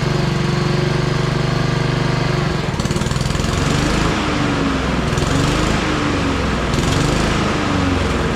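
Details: Honda HRR216 push mower with GCV160 engine, serviced with worn rear wheels and drive belt replaced. Runs steady, then surges up and down in waves once the blades load it; cause suspected, not confirmed.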